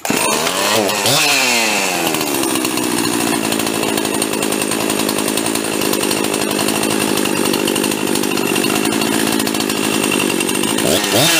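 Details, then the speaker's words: Husqvarna 350 chainsaw rebuilt with a 42 mm closed-port 346XP top end, first runs after assembly with two-stroke oil: strong steady buzz, revving cleanly and holding speed evenly, though it pulls less hard than hoped. "well that's it I'm actually a little disappointed I thought that would pull a whole lot of harder"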